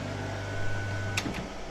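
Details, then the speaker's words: Bartscher JC-900B / Hendi 221105 centrifugal juicer repaired with parts from identical machine: smooth steady motor hum with clean high whine, then click and even spin-down; runs normally after repair. "it works it works fine now wow I'm impressed"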